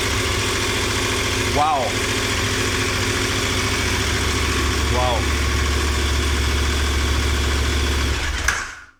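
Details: 2021 KTM 1290 Super Adventure S, rebuilt twin engine just reinstalled and first started: it catches and settles into a steady, even idle with a firm low throb, no knocks or rattles, then shuts off via kill switch; normal idle.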